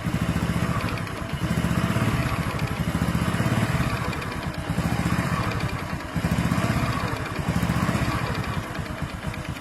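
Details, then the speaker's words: Honda Supra X5/Karisma 125 motorcycle with a new NPP piston block. When cold, a light tek-tek tick rides each firing pulse at low idle rpm and vanishes when revved or warm: a loose piston (piston slap). "Mereknya NPP di motor Supra X5 ataupun Karisma, tapi masih ada suara bunyi kayak piston kendor."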